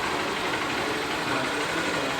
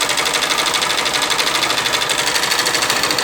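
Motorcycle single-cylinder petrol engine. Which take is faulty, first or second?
second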